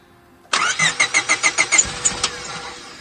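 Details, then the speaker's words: 2000 Honda Civic EX D16Y8 with 410cc Denso injectors and a custom chipped ECU, injector wires fed directly into the stock harness: brisk cranking at about three beats a second, then it fires and settles. A clean, normal start. "so here we've just plugged the wire directly in and it should fire and run"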